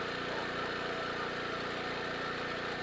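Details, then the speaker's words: Portable generator after carburetor replacement, load test with heat gun on low then high: steady, even engine note with no hunting or surging; handles the load fine, normal running under load. "Uh low. Works pretty good. Go a high. Oh yeah, it handles the loads fine."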